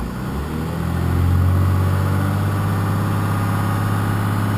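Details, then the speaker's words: 1993 Dodge W350 with 6.2L Cummins, 210,000 miles, about 200 miles on the new motor: even, fast diesel idle with a steady low drone that never settles lower; idle stuck high at about 11.5 psi fuel pressure with the fuel screw all the way in. "I'm running about 11 and a half pounds of pressure at idle and it's idling high because I got the fuel screw in all the way and I can't get any more idle down out of it so I'll figure that out later"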